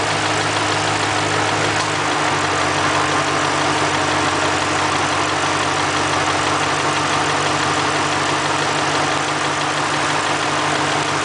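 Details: 2005 Mustang GT V8 at steady idle: faint, busy clunking under a bright engine hum, which is normal cam phaser noise, nothing wrong.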